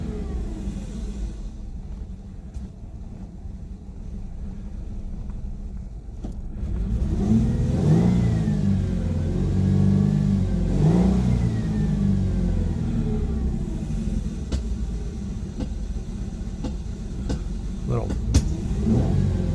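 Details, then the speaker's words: 2001 Ford Mustang 3.8 Essex V6 with P0171 lean bank 1, after injector replacement: slightly uneven lumpy rumble with rev blips from massive vacuum leak, rear injector not seated properly, air hissing. "So, what I had was a massive vacuum leak. The back injector wasn't seated properly. I could hear the air hissing."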